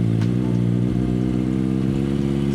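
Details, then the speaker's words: Kawasaki ZX-4RR with 500 miles, first start after a tune following a no-start, warning lights still flashing: smooth, even four-cylinder burble with steady low pitch and no knocks or rattles; idles cleanly. "So, I don't know what those lights are, but it starts up fine. I'm not hearing any weird noises or anything like that."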